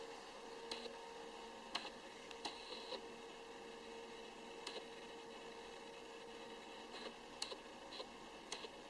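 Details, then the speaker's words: Excessive HVAC, water-heater and recirculation-pump noise heard in a spare bedroom: steady low hum with fixed tones and scattered ticks carrying from the utility space, strong enough to vibrate a chandelier; the bedroom is unusable for guests. "In this room, you can hear the water heating unit, the recirc pump, and the air conditioner. This bedroom is now unusable for guests."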